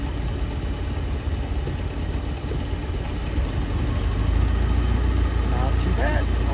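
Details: 1987 Bayliner Capri, fuel-injected MerCruiser 3.0 with Holley Super Sniper 2300 EFI, restarted warm after a lake run: catches and settles into a steady, even low rumble with no misses or knocks; healthy warm restart.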